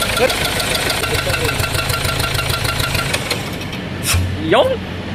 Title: Engine white smoke and engine knocking ford ranger